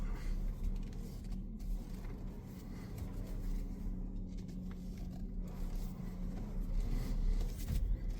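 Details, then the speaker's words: VW Atlas lemon-law buyback, owner claimed a squeak when turning the steering wheel: a steady low engine hum while the wheel turns, with no squeak; no abnormal steering noise in over a year of ownership. "It's never had any sort of noise come out of the steering wheel that was abnormal."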